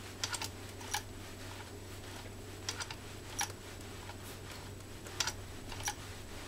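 Small clusters of crisp clicks every couple of seconds as it is cranked through leather, no rough or binding sounds; stitching cleanly and healthy.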